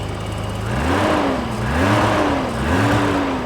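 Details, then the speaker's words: 1985 BMW 635CSi E24 after 12 years sitting, just running again after both crank sensors replaced: clean revs rising and falling about once a second, smooth and even, no misfire or knock. Healthy engine, normal revving. "I'm actually amazed right now at how nice this car runs 10 years and it runs like a top"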